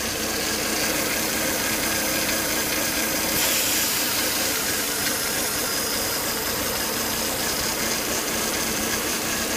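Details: Volvo S80 2.5T idling after 10–20 minutes running: loud airy hiss with faint high whistle; excessive crankcase vacuum sucking hard at the oil cap, solved by replacing the breather box/filter.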